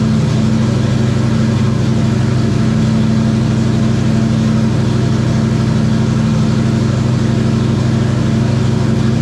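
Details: 1994 Terry Labonte Oldsmobile race car V8, after replacing bad spark plugs and plug wires (arcing wire, near-zero plug gap): deep loud burble with steady even beat, no misfire, stumble or popping; running strong and smooth.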